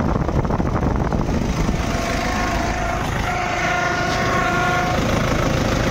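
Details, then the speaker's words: Toyota Innova at idle, steering held at full lock: thin steady whine over the engine; no oil leak or low fluid, steering not hard; power steering pump noise, pump replaced. "उल्टा उल्टा मारो ही आवाज है और oil भी leakage नहीं हो रहा है ना ही कम हो रहा है"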